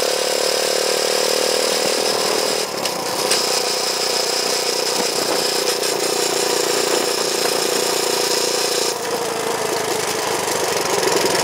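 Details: Honda chopper ridden after cutting off part of the over-welded battery bracket: steady engine drone with road noise and no rubbing, scraping or slapping from the chain; the drive sounds clean.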